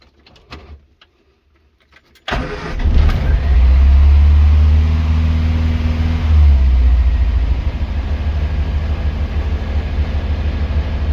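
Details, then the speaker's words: Morris Minor Traveller that developed a misfire on a long road trip: engine cranks and catches, then idles with an uneven, lumpy beat from a dead cylinder; idle had to be turned right up or it would cut out at junctions and restart hard. "today's episode of fixing assets involves um the Morris and a misfire it's uh suddenly got"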